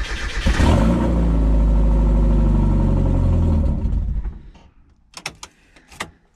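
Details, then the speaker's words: Miata, clutch just replaced, that starts but won't idle: catches and revs briefly, then dies within about three seconds. "she starts but she doesn't idle not no good no good"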